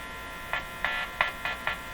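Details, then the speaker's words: Canadian Westinghouse Model 512 tube radio with a 460 kHz IF signal injected at the antenna from a signal generator: a steady low hum with raspy buzz bursts every third of a second in the audio. A wire is suspected as the cause. "you know what it could be could could be this wire could could could be this wire causing that buzz"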